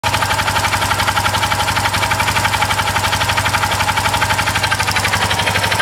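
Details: Unidentified engine noise recorded again with a different camera alongside blow-by: steady rapid tapping, about four per second, over an even idle; a sharp mechanical noise of unknown origin.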